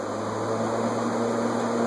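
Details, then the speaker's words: Vintage Montgomery Ward Signature 20-inch box fan with dry bearings, after WD-40 applied to the bearings: steady, even motor hum with smooth airflow and no squeal or rubbing on low, medium and high; running normally. "I'm going to turn the thermostat all the way down, turn it to low, and then turn it on, and see if it squeals. Nothing on low, medium, high."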